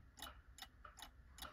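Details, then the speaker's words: Balance wheel clock movement started by a gentle flick of the balance wheel left or right: crisp, even ticks about two and a half per second, running properly. "you'll take that balance wheel and you give it just a little flick to the left or to the right and that will get it started and you can hear it ticking and"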